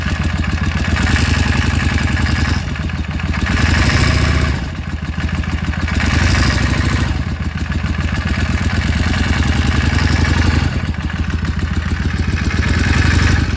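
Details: Yamaha Drag Star XVS650 V-twin at idle: lumpy idle with an uneven mechanical clatter and slow surges in level; owner is seeking help with the diagnosis, and the source of the clatter is undetermined.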